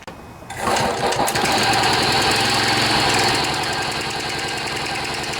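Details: John Deere 14PB self-propelled mower, Kawasaki 5.0 hp OHV engine, after carburetor clean and rebuild (plugged slow and main jets) following outdoor storage: quiet, then catches and settles into steady, even buzzing run, no misses; normal running.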